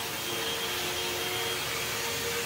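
A steady, even motor whir with a clean high rush of air and no rattles or pitch wobble; the vacuum sounds healthy.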